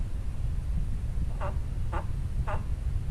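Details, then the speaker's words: Polaris RZR 4 900 front differential, reassembled but not yet lubricated, turned by hand. Three squeaky rubbing chirps about half a second apart: dry left and right output shafts rubbing together; fix is adding oil. "it's not lubed up, and what you're rubbing against is the output shaft on this side and the output shaft on the other side are rubbing together."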